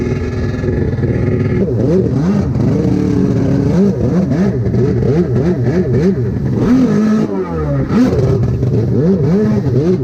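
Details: SuperFreak two-stroke watercraft after rebuild, in water, carb tweaked: uneven revving surges and sags without clean pull; runs rough, worse than before, faulty carburettors suspected.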